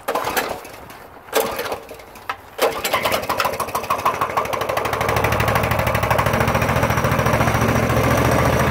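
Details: 2018 Coleman CT200U minibike with a Honda GX200 knock-off engine, muddy, started on choke: a few pulls, then it catches and settles into a steady, even putter at fast idle with no misses or knocks; runs very well.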